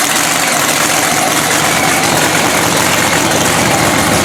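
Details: Blown 3,500 HP Hemi drag truck after an all-night rebuild following a 3-second pass. Loud, harsh, lumpy idle with crackly exhaust holding steady; firing on all cylinders again.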